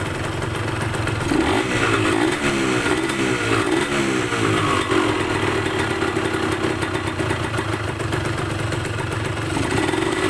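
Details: Yamaha DT125MX two-stroke with a square K-type carb replacing a leaky NPro to cure hanging revs, air screw at 2.5 turns: steady crackly burble holding speed without hunting or dying, revs pick up better than before; normal idle.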